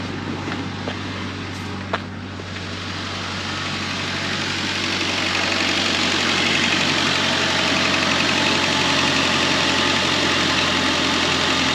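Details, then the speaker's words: 2002–2011 Ford Ranger four-cylinder idling smoothly with no miss after fixing an intermittent misfire by replacing coil pack with updated OEM design, spark plugs and WR6059 plug wires. "so it's running pretty good now i'm gonna take it for right around the block and see what we got"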